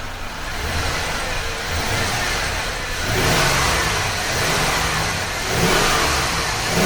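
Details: 1999 GMC Sierra 1500 started after new spark plugs, wires, fuel pump and filter, running 93 octane mixed with old gas. Engine fires and settles into a steady run with gentle throttle swells, no misses or knocks. Normal running.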